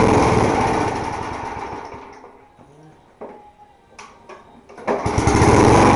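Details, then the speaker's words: Small 3.5 hp lawn mower engine with rotten deck, primed and started: steady even beat, eases down briefly then picks back up cleanly; slow to start but runs healthy. "there you go this thing um runs pretty good so it takes a while to start start up and get it running properly"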